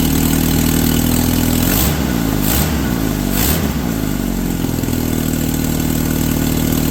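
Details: Suzuki SX4 just fitted with a Holley 3200 carburetor on an Offenhauser adaptor, replacing a failing Varajet II, with an electric fuel pump at six psi: a smooth steady idle, a few quick throttle blips, then back to an even idle. Normal start and idle.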